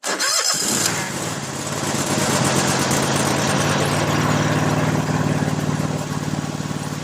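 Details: Toro SW 2400 lawn tractor started with a little choke during a charging test; battery 12.7 V dips to about 10 V while cranking, then reads 13.57 V: a short crank catches quickly into a steady idle; normal start, charging works.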